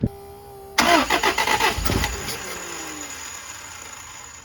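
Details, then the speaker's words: 1971 Toyota Celica RA20, 18RG engine with dual Weber 40 DCOE carbs, electronic ignition, new cap, rotor, plugs, wires and low-pressure electric fuel pump, long off the road: catches after short crank with uneven popping; carbs tuned but still spit back. "Okay, I think I got these carbs tuned pretty decently. They still spit back a little bit, but I'd like to get the temperature gauge hooked up because we got no temperature inside."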